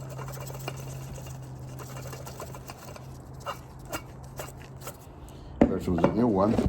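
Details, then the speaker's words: 2015 Porsche Macan S coolant pump, removed with thermostat, spun by hand: low hum then harsh gritty rumble suggesting a worn rough bearing; pump judged done and about to fail, being replaced with new pump and thermostat. "This pump is done. Was about to fail."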